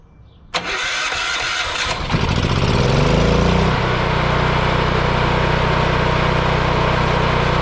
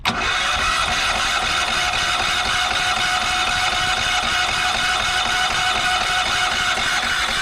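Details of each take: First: Yamaha EF4000DE generator: click, couple of seconds cranking, then it catches and settles into a steady even run; starts fine, owner believes low oil shutoff from low oil had kept it from running. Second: Yamaha EF4000DE generator on propane, after priming: fast, even cranking whir for seconds without catching; owner believes it flooded with too much propane because the choke was closed; cranking no-start.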